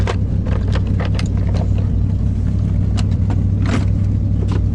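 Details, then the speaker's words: Van engine running after a cold start with a working choke: a deep steady rumble with irregular sharp puffs about three a second; the owner hears exhaust leakage, calling it blow-by, and missing, though the engine is otherwise strong. "You can hear the blow by in the exhaust though. Other than that, it's a pretty strong engine."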